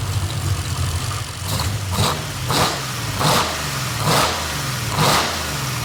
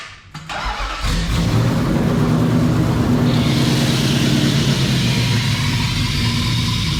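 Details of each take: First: Hartley-built 500 hp Nissan VK56 V8 with eight individual throttle bodies in a 1971 Nissan Skyline 2000GTX, first start, tuned, warm at 82-85 °C, one leaky header from a cross-threaded bolt: repeated throttle blips rise and fall cleanly with some crackle, no knocks or misses. Normal running. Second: 1971 Nissan Skyline 2000GTX with Hartley Nissan VK56 V8, 500HP, eight individual throttle bodies, first start: harsh loud rasp with sharp puffing crackle at fast idle, smoky; exhaust leaking because headers fitted without gaskets.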